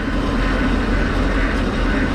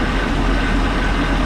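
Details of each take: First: Boat engine after unwinterizing, now warmed up: loud even steady drone with no whine on top; the earlier water pump whine has quieted and running sounds normal. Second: Boat engine after unwinterizing, warming up at idle (not yet above thermostat temperature): steady low run with a faint thin whine; owner suspects water pump bearings, unconfirmed, hopes it smooths out.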